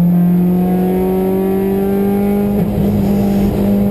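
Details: Honda S2000 engine: steady high drone that stumbles in brief dips a couple of times before recovering; rough running, possible misfire.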